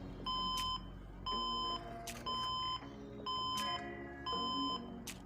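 Long single beeps repeat about once a second from a desktop PC, signalling a memory fault at power-on.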